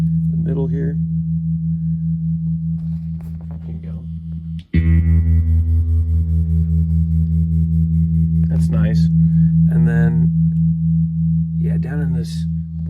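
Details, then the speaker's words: Restored 1974 Fender Super Six Reverb 100 W tube amp, tremolo tested with two 0.01 capacitors (0.02) at its slowest setting: a held guitar chord pulses about 2.5 times a second, evenly; normal tremolo rate. "so that's the slowest setting let's turn it up here so you can hear the range of speed"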